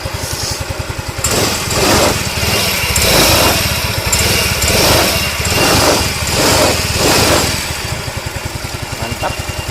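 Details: Scooter engine idling with an even, quiet putter and no knocking or rough rattle after replacing the block and cam bearing, belt not yet fitted; no white smoke, normal idle.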